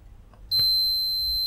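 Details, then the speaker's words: Old external USB hard drive dead after a power surge. Faint click, then an instant unbroken meter beep: the 12 V protection diode reads zero ohms both ways. Most likely culprit, though the short could be elsewhere. Dead short. "zero I think it's just gone dead short it's not possible to say because a short could be somewhere else but that is the most likely culpit"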